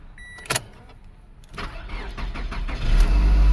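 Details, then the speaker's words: 2005 Toyota Caldina, 1AZ-FSE D4 engine, about 413,299 km, codes P0191 and P0171, stalling complaint: a click, then laboured, uneven cranking building over about two seconds; battery suspected low, then runs very rough. "sounds like the battery is low so let that boot"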